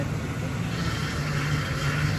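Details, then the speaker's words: 1983 Cadillac Seville just revived and idling: steady low whine over a rumbling idle, coming and going slightly; power steering pump whine, leaking and low on fluid, to be topped up with stop leak or the pump replaced. "what do I need to do with that? Power steering pump? I'll put some more fluid in it."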